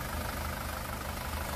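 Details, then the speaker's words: 2018 SsangYong Rexton Sports 2.2 diesel, 119,174 km, idling after rebuild following broken crankshaft cap bolt that holed cylinder block and melted No.1 piston; crank, pistons, bearings replaced: steady even clatter, tank-rolling knock gone, quiet healthy idle. "탱크 굴러가는 소리가 안나요 소리가 너무 잔잔 합니다"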